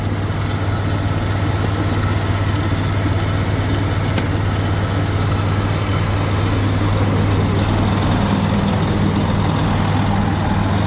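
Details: 2016 Freightliner Cascadia diesel, started after a no-power, no-start fault was fixed: deep, steady rumble with an even beat and no knocks or misses; healthy idle.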